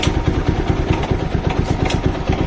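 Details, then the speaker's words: TVS Apache RTR 200 4V, 38,474 km, at idle: a fast, even "tak tak" clatter riding on each firing pulse, a loose light metallic rattle from the top end, indicating a worn timing chain due for replacement. "ये देखो guys, ये sound है, ठीक है। ऐसी आवाज़ आती है टक टक, ठीक है। तो आप समझ लेना कि टाइमिंग चैन गई आपकी बाइक की, ठीक है।"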